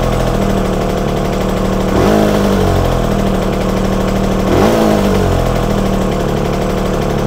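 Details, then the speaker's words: Yamaha TZR 250 3XV two-stroke twin run on one cylinder while its air screw is set, backed off half a turn after it began to die: ragged idle with two quick throttle blips that now pick up cleaner. "okay I think that's picking up cleaner now um you know so I turned the screw and it started to die a little bit and so I backed off half a turn"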